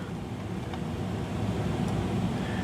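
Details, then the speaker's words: Carrier gas furnace in attic, panel back on, blower on low heating speed: even low burner rumble with steady airy blower rush, no knocks, squeals or surging; normal operation. "you do have a nice rumbling from here that you can hear even as the a blower fan is going and the blower is on low speed as you know for heat"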